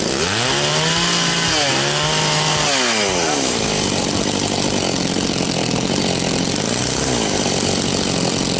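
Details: Very high-hour Echo CS-670 two-stroke chainsaw, after an ignition fix and a high-speed tune: revs up and down, then settles to a steady, crisp high-speed note with no bogging; runs clean.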